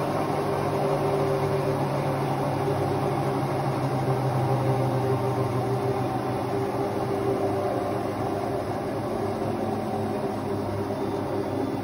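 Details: Hotpoint Ultima WT960 washing machine after drum bearing change and retightening, spinning at high speed: steady high-speed spin, even hum, no rumble or grinding; new drum bearings sound healthy.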